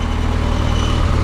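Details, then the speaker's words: Barn-find Mazda Miata petrol four-cylinder, now running on its own fuel: steady low idle with an even rumble and no stumbling; it pumped 30 pounds while cranking, judged healthy. "oh I can tell you when when you were cranking it with the starter it was pumping 30 pounds yeah I think it's healthy"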